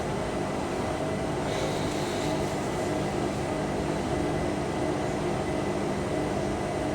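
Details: Indesit IWC6125 washing machine, first wash after fitting new motor brushes, program reset from Cotton 90 to Cotton 70 after glitching; low-speed spin around 300–400 rpm, an even drone with steady tones, no bumps or scraping; drum spins normally.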